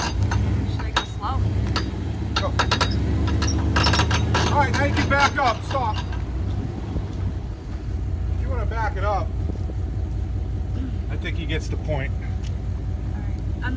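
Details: Horrible irregular clunks and rattles from the front end of a 2001 Dodge Durango 5.9 4x4 while driving, coming and going with bumps over road rumble; owner suspects tie rod or ball joint, source not pinned down.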